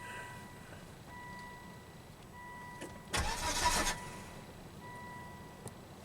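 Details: 2005 Volvo V70, 212,000 miles, sputtered and stranded while driving: under a second of starter cranking that dies away without catching; crank no-start, fuel pump circuit under test, test light initially not lighting while cranking.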